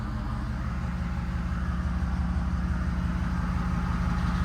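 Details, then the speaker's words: 6.7 Powerstroke diesel at first start after a 1000hp built 6R140 transmission install: a regular light tick about three per second over a steady idle that then stopped; source not identified. "what is that noise I know her instantly like fire right off is there ticking what's ticking it stopped"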